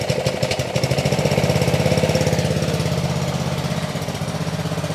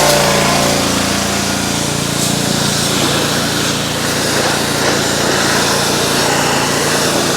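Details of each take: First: Ryobi RY80940B 3100 psi pressure washer, Honda GCV190 engine, made 2018, trash-picked, after carb kit and fuel work, warming up: fast uneven putter with wavering dips; still rough, not settled, cause unconfirmed. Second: Ryobi RY80940B 3100 psi pressure washer, Honda GCV190 engine, made 2018, trash-picked, after repair and warm-up: steady even buzzing drone at constant speed, no misses or knocks; runs smoothly, no water leaks.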